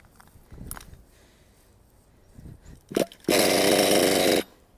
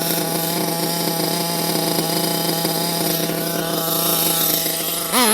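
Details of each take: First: Nitro RC car engine during needle tuning, mixture too rich: a few cranking attempts, then the little engine catches about a second and dies; needle being turned clockwise about half a turn to lean it. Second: Nitro RC engine back at base high-speed needle setting: steady high buzzing idle with quick clean rises and falls on throttle blips; accelerates instantly, well-tuned.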